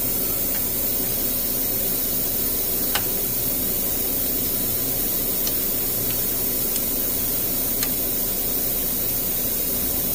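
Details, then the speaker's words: GM vehicle, P0128 thermostat housing and sensor replacement, Mac Tools vacuum tool on the cooling system: steady, unbroken airy hiss of air drawn in; tool pulling suction normally, only a little coolant lost. "You can hear it sucking. You lose just a little bit, but you don't lose very much."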